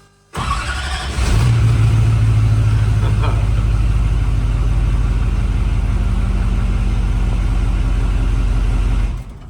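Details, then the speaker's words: Duramax-powered 1970 K15 race truck after a battery upgrade (cranking about 190 rpm), injectors plugged in: brief crank, fires right away and settles to a steady, deep diesel idle; quick, easy start. "Injectors are plugged in and let's fire this thing up. Hell yeah. All right, let's try one more time. That was too easy."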